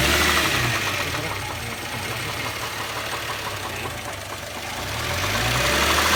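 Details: Subaru EZ30 engine: sharp regular knocking about three per second over idle, rising with revs; bottom-end knock attributed to a spun bearing.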